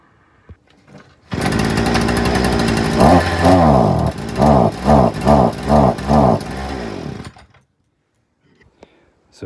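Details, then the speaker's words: Hyundai two-stroke multi-tool (brush cutter) idles, then each throttle blip sags back instead of revving; won't rev past idle, fixed by turning the carburettor mixture screw out a quarter turn. "So, this is a highendo multi-tool that's bogging down when revving."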